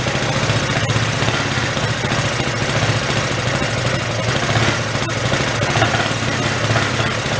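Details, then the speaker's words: Hyosung Aquila GV250, sat 9 years, started with starter fluid while excess oil clears from the cylinder: steady, even, quiet firing over the exhaust with no knocks or ticks. The bad heads or valves that were suspected seem fine. Normal running. "Sounds pretty good, actually. I want to run it, get that oil out."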